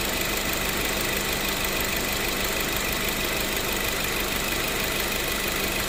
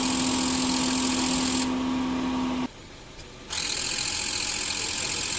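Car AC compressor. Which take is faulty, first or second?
second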